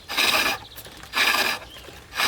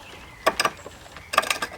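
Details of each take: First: Treadle lathe roughing out a billet with a gouge, now round; steady even rasping cut in regular strokes with long shavings and no chatter or bumps, showing the billet has reached a cylinder. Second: Treadle lathe roughing out a green-wood billet with a gouge; bursts of rapid uneven clattering knocks as the gouge bounces on high spots of the uneven billet, quiet gaps between, tool chatter from an out-of-round workpiece.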